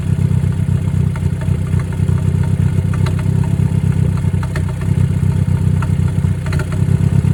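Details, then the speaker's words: Ford Focus, warmed up, after a recent plug and injector change and intake manifold removal: a fast, uneven idle chug with occasional sharp pops. The scan shows a cylinder 3 misfire. Timing is suspected, unconfirmed. "So, we have a misfire detected cylinder three. We did recently change spark plugs and fuel injectors, so maybe we have something not correct. And that funny popping noise, that's the noise I'm hearing that weird every once in a while."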